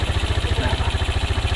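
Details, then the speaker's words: Yamaha Jupiter MX motorcycle after swapping in an RX special carburetor to cure repeated stalling, smoke and poor revving: the single cylinder holds a quick, even idle with no misses. Normal idle; fine adjustment still to be done. "seperti benda motor ini baru dibongkar dan kembali mogok jadi ini udah normal Ya tinggal kita proses proses penyetelan dan juga penyesuaian dari keberadaannya"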